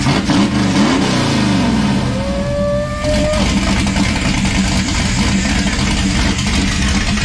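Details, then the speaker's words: '51 Dodge dually, turbocharged (GT45) 5.9 Magnum 360 on Holley Terminator X EFI with LS coils and custom headers and exhaust. A loud, crisp V8 snaps up through the revs and drops back cleanly with no misfire: normal revving. "oh that sounds good let's get sounds so gnarly with the turbo oh man my ears are ringing a little bit that feels so good"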